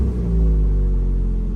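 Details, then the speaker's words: 1986 Honda Prelude Si after fuel and thermostat fixes, unresponsive throttle, heater hose coolant leak; revs fall away after a blip and settle into smooth steady even idle with no hunting; normal idle. "Yeah, it's idling pretty good actually, not bad."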